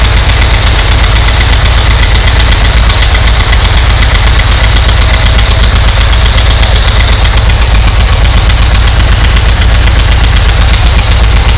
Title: VW t3 MV engine making ticking noises